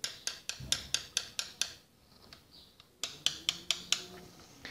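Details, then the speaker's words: Small pushrod motorcycle engine with valve clearances adjusted within spec, still making sharp metallic ticks about four or five a second from the top end. Valve train tapping persists; cause suspected, not confirmed. "um barulho bastante incômodo e às vezes válvulas está regulada a folga que tá dentro do padrão especificado Mas continua dando barulho"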